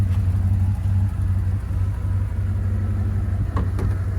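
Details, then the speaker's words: 1999 Dodge Durango, 300,000+ miles, after replacing its oil-consuming engine with a remanufactured one and adjusting the distributor timing: deep, even V8 idle with no ticks or knocks, running healthy; a small exhaust leak was noticed afterward. "but here's how she sounds pretty satisfied with that sounds really good she rides good crying like a kitten"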